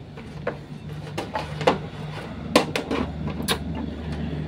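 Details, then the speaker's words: Polytron 24-inch LED TV that works normally: irregular crackling ticks over a low hum from the power supply (PSU) area after switch-on. "Nah itu tuh ya cuman suaranya seperti itu teman-teman ada suara berderik"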